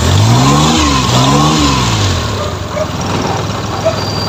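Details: F6A engine, in a hard-starting fix: catches quickly, revs up, then settles into a steady, even idle with no misses or knocks; sounds healthy.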